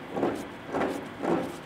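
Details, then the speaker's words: Ford Mondeo Mk5 2.0 diesel six-speed manual gearbox from a nearly 300k-mile taxi, removed from the car, in neutral with the clutch release bearing off; each hand spin of the input shaft gives a gritty, rough rumble that swells and fades: worn bearing suspected. "yeah that's noisy it doesn't sound too clever"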